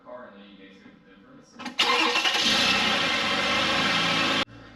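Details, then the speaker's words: Toyota Avalon 3.5L V6 after replacing the failed, rattling idler pulley and seating the belt in the correct grooves: the engine catches and settles into an even idle with no rattle or chirp from the belt side; normal idle. "So now that we heard our engine, everything is nice and smooth, our belt is in the correct grooves and everything, we are all said and done with this job, guys."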